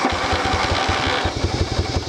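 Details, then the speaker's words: 1982 Yamaha Virago 750 V-twin, 31 years old, fresh gas and oil change: steady rhythmic low thumps with mechanical whirr as the starter turns it over, typical Virago starter noise, then idles about 800 rpm; normal cranking. "Yamaha Vago starter noise see it idles about 800 P here"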